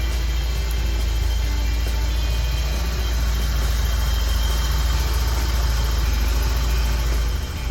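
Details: BMW E30 with M40B18 four-cylinder, after ticking-noise repair done without removing cylinder head (camshaft checked, oil sprayer cleaned or replaced): steady low idle, no tapping from the top end; normal idle.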